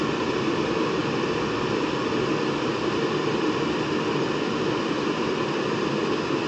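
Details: Trianco oil boiler with a Riello burner, started after a full service (new nozzle, cleaned fuel strainer, new fuel filter, vacuumed, burner adjusted) and an oil line purge: a steady even roar with no surging or popping, so it fires right up normally.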